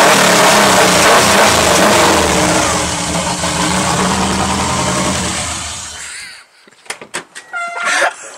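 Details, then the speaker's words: 1995 Subaru Legacy, first start since August after the turbo was relocated and the engine painted, with smoke from the battery and possibly something unhooked. Harsh, very loud roar for about six seconds, far louder than stock, then drops away; cause unclear. "My God, that's loud. Oh, Lord Jesus."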